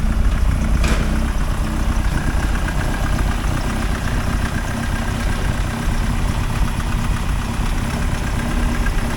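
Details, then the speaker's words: 1979 Austin Morris Mini Clubman, about 180 bhp, still warm, no choke, Facet fuel pump, after coolant flush, listened under bonnet: steady even idle, smooth low rumble, no knocks or hunting; quieter and smoother than before. "I'd say that sounds quieter than it did before sounds a lot smoother than it did before just keep an eye on it"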